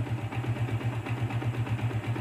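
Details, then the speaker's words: Yamaha Vixion Advance single after repair of oil not reaching the head (damaged rocker shaft seats and valve caps, harsh ticking); torn seal replaced, gasket residue cleaned, oil circulation confirmed. Steady even idle, no ticking or knocking; healthy. "oke Guys ya naik olinya mantap wes Alhamdulillah motor kembali normal kembali sehat walafiat"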